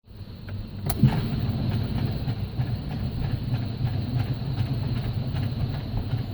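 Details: 2012 Ford Focus that won't start; when the key is turned there is a steady low rumble with a quick regular ticking on top, and the engine never catches; cause unknown.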